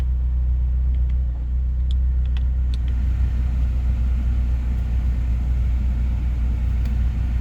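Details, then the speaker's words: 2004 Honda S2000 with 109,000 km, idling with the heat on and a check engine light from a missing catalytic converter: low, steady idle rumble with no knocks, ticks or hunting; engine runs smooth, normal idle. "We're gonna walk around to the passenger side and we can hear it running for a minute. It seems to run pretty smooth."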